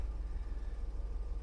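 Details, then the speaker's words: 1997 BMW 740i V8, sat for years, first idle after fuel pump replacement and fresh fuel: a deep, steady low rumble with an even pulse and no misses or knocks, not shaking much; healthy idle. "oh she sounds good holy moly you got to be kidding me yes yes she's alive she's not even shaking too much either"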